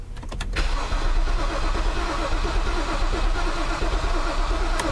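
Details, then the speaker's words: 2010 BMW 328 xi after flooding, won't start: starter cranks with a lopsided, uneven tú-tú-tú rhythm and the engine never catches; uneven cranking. "pero como les dije ayer lo que me preocupa es porque es el motor suena así tú tú tú tú tú tú tú tú tú"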